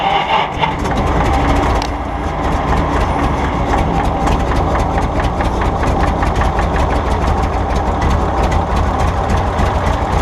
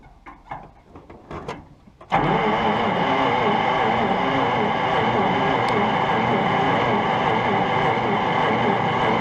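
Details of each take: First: 1951 Brockway engine, seized and freed after pickling, now runs as a deep steady rumble with even firing pulses and no misses or knocks. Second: Nothing. Okay. So, certainly acting like it's still got no spark.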